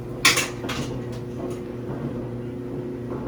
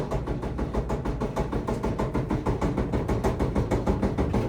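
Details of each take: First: Samsung dryer after repair and reassembly: a quiet, steady drum hum with a few light clinks at first and no thumping. The previous bumping noise is gone. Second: Samsung dryer: heavy, even thumping about three times a second as the drum turns, caused by the detached drum felt seal.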